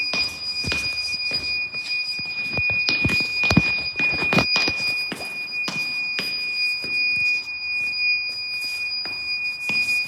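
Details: Recurring steady high electronic beeping of unknown source at Westminster School Amman, heard over irregular clatter and room noise, like an alarm or detector chirping; origin unidentified.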